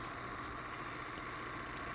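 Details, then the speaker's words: 3D-printed horizontal magnet motor on magnetic bearings, run at about 10–12 volts: even hum with a faint rhythmic wobble. Rotor wheel is out of balance after its two washer counterweights were removed. "i have to rebalance the wheel you can see that it's not about you can hear that it's not balanced it's making a little bit of a wobble"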